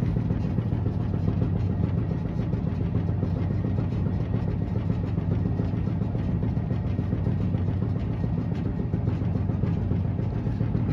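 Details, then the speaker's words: 2016 Maytag Bravos XL dryer (MEDB835DW3), trash-picked, running empty: a low, steady drum rumble with an uneven soft knock about three times a second. Airflow reads good; the source is unidentified. "so yeah it it makes noise it's got kind of a knocking noise it's got a little knocking noise to it so but it does"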